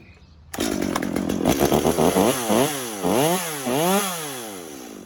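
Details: Stihl MS 250 chainsaw brought in as a no-start, whose stop switch wouldn't go to full off; on restart after correcting it, it fires sharply and revs up and down in clean, smooth sweeps with no stumble or bogging, and it runs normally.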